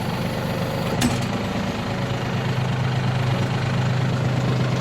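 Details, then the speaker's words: Yanmar RS30 30 hp Japanese diesel mini tractor, battery slightly weak: even idle with a low hum rising as the hydraulic tilt and tiller lift take load; runs smoothly without excess exhaust or smoke, sounds healthy. "Двигатель, как слышите, работает ровно. Без лишнего выхлопа, дыма и так далее."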